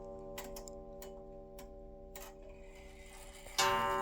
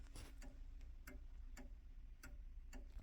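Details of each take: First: Restored 1890s Junghans calendar wall clock, set in beat and with the hammer wire bent closer to the gong: soft even ticks, then five clear, slowly fading gong strokes about a second apart; normal strike. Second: 1890s Junghans calendar wall clock with a standard Junghans Freischwinger movement, restored with new mainsprings and 21 bushings: ticks come in uneven pairs, a limping tick-tock; the pendulum is out of beat before adjustment.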